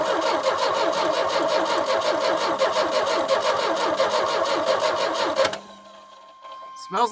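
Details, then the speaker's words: 1989 Chevy S10, 2.5L four-cylinder Iron Duke, 5-speed manual, abandoned about 22 years in a Michigan field: steady starter cranking with no firing pulse; spark present but weak, so a crank-no-start. "gross gas so I don't think we have any spark though we have spark okay it's weak but we do have [Music] spark"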